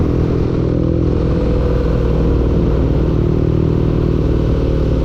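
Engine running at a steady speed with an uneven clattering knock riding over a heavy low rumble; knocking present, cause unclear.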